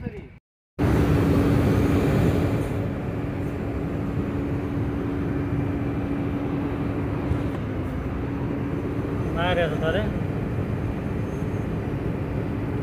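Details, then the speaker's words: Tata BS6 Phase 2 Cummins diesel with no fault code: with the accelerator fully pressed it barely revs above idle and won't exceed about 1000 rpm (10 on the gauge). Fuel starvation from a kinked diesel supply line. "Driver ने accelerator को पूरी ताकत से दबा दिया है। और यहां आप देख सकते हैं कि कार बिल्कुल भी रेसिंग नहीं कर रही है। यह 10 से आगे नहीं जा रहा है।"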